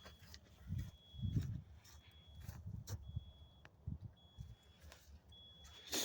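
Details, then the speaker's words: 2005 Kenworth T800 at idle with a replaced flasher relay: regular ticking about once a second with a high chirp each cycle. Normal flasher operation; the old water-damaged relay was silent. "obviously you should hear that uh that relay ticking like it does right here mine did not"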